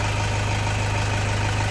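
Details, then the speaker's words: 2008 Toyota Fortuner diesel, running after replacing the pinched, thin O-rings behind the crank-no-start (a shop had blamed the pressure pump). Steady, even low rumble with no knocks or misses; normal idle. "Ayan dito lang yung pinalitan natin."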